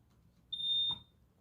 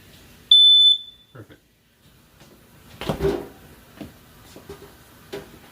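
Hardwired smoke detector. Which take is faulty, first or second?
first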